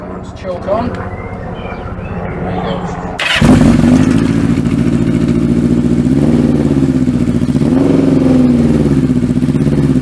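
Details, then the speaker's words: Kawasaki Z650B four-cylinder with rebuilt carbs fitted, fuel syringed into number one carb, mic behind engine: uneven lumpy running, drops from four to three cylinders and won't idle; misfire, cause unknown. "it's only running on three cylinders again I'm gonna die yeah it dies it won't idle when it's only on three cylinders"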